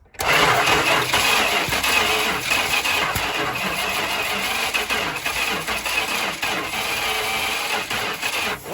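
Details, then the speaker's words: 1974 Dodge Monaco police 440 V8, valve cover off, lifters not pumped up, low oil pressure: steady crank about two beats a second, never catches; rocker arms move only intermittently, cam not fully linked to crank, suspected slipped timing chain or fried nylon cam gear teeth. "you notice sometimes they're moving and sometimes they aren't now I definitely considered timing chain as a possible cause"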